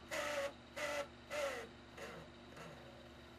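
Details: Xbox 360 Elite DVD drive after refitting the magnetic spindle piece that had come off, causing grinding and unplayable discs: disc spins up with short whirring bursts, then settles into a quiet hum.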